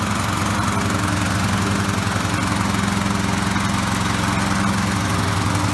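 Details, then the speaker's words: Riding lawn mower, just reassembled, throttle set to rabbit: steady low chugging at a lazy unchanging pace, never picking up speed; runs sluggishly, owner suspects a missing black part. Cause not confirmed. "it is kind of sluggish"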